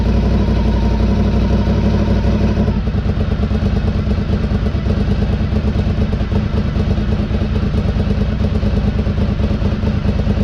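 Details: 2003 Honda RC51 SP2 V-twin, first start after repairing rodent-chewed wiring to the harness and sensors. Even, loping idle at about 1,000 rpm with no cam ticking or big-end knocking. Normal idle, healthy engine.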